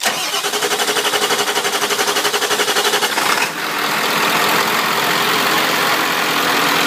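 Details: 1997 Powerstroke diesel still in its donor truck before swapping into a 1958 Chevy truck, fired with a 12 V PCM switch and starter relay, fuel pump audible: steady cranking, clean catch, then even settled idle clatter; normal start and idle.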